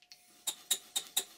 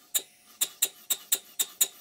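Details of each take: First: Stuart 5A model steam engine bought online, running after crankshaft bearing cap refitted: sharp light metallic clicks about four a second, one per revolution, from a very sloppy connecting rod small end in the crosshead. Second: Stuart 5A model steam engine after fitting a gasket and bolting the bearing top cap back on, connecting rod small end still sloppy in the crosshead: crisp, even puffs about two per second with no knocking; normal running.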